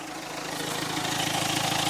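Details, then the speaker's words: Renault 1.5 dCi (K9K) diesel after an injector return-leak repair with the injector washer reseated. It runs well at idle, with a light, fast metallic clicking that the owner attributes to a worn clutch release bearing. Not confirmed. "on entend un bruit métallique en fait il ya une butée d'embrayage affaire donc ce que vous entendez lui assure c'est la butte"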